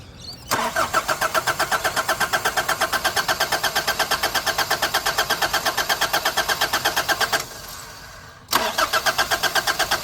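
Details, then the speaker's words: Nissan Navara D40 diesel after fuel filter replacement: even starter chugging near three beats a second, a pause, then more cranking that never catches; the fuel system was likely not primed enough with the hand pump. "the guy said to do electric you got to have a good battery cuz you got to crank it a lot"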